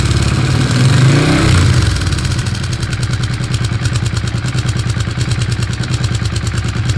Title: Weird engine sound